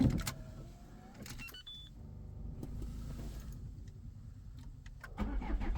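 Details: 2.0 HDi diesel with EGR off, cold start at -5.1°C: engine fires up and runs with a very strong, rough, heavy knocking clatter over a low rumble.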